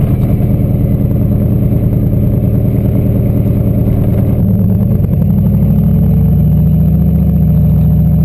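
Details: LQ4 V8 turbo-swapped Ford Ranger after no-start fix (a disabled DTC code, not the MAP sensor): steady even rumble settling into a smoother higher drone, stays running without stumbling; ECU showed stuck in power enrichment.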